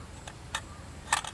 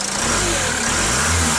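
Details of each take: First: Peugeot Boxer/Citroën Jumper/Fiat Ducato 3.0 Iveco engine, code P0638, new throttle body fitted via adapter cable after water ingress damage, engine off: sharp irregular clicks from throttle valve; suspected faulty connector or bad connection. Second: Citroën Jumper/Peugeot Boxer/Fiat Ducato 3.0 Iveco diesel van with fault code P0638 from water damage to the throttle body: the engine starts, revs smoothly, and shuts off cleanly as the valve closes, with no shudder.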